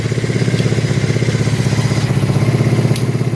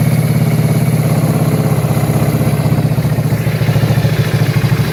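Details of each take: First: 1984 Kawasaki Prairie KLT250 barn-find ATV, not run in years, started on a jump pack: steady, even putter at about four beats a second, no tick or knock; engine sounds healthy. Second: 1984 Kawasaki Prairie KLT250 barn find, fresh fuel, jump pack at 12.6 V, no air filter: rough, uneven single-cylinder run with sharp pops coughing back through the intake, running lean and popping back through the carburetor.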